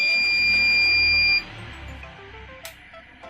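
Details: Sukam Falcon Eco inverter after replacing all burnt MOSFETs and a burnt 47-ohm resistor: a single steady high beep for about a second and a half as it switches cleanly to battery backup mode; normal changeover beep.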